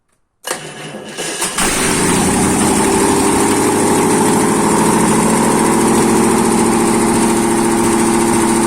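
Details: ZMZ-511 engine started after a major overhaul: brief crank, catches within a second and settles straight into a steady, even idle with no knocks or misses; healthy start.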